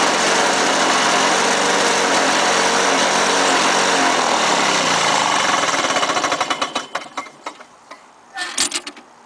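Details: Lawn-Boy 5127 two-stroke mower, first start after 10 years in a shed, with a fouled plug replaced and gas squirted in the intake: buzzes steadily at high speed for about six seconds, then sputters and winds down. It starts and runs.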